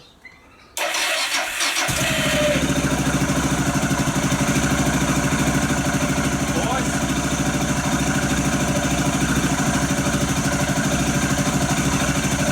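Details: Motorcycle started with a small lithium jump starter pack on a dead battery: quick catch after a brief crank, then an even steady idle with no misses or knocks; running normally.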